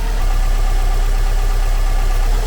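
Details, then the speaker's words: One-owner, all-original 2004 Subaru Impreza WRX STi after cold start, not yet revved, near operating idle speed, still warming to full temperature: steady, even low rumble, no knocks or ticks; smooth, nice-running engine. "we certainly heard a lot of subaru engines and this is a nice nice running engine"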